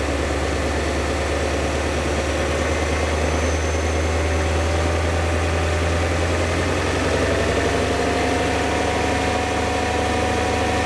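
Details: BMW E39 M5 V8 idling with a rough, uneven rumble and faint irregular tapping; sharp knocking is reported when accelerating and at 1500 rpm. Owner suspects rod bearings; source unconfirmed. Engine knock.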